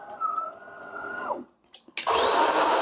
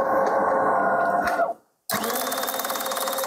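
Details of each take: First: DeLonghi Magnifica S ECAM22.110.B coffee machine after quick grinder regeneration (rattling grinder was jammed by a piece of wood or small stone, then vacuumed): motor hum winds down, then a loud, even grinding roar with no rattle; burrs grinding normally. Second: DeLonghi Magnifica S ECAM22.110.B coffee machine grinder running with no beans loaded, microphone held close: rapid rattling clatter, about four hits a second, over the grinder whir as it fails to grind; a foreign object is caught in the burrs.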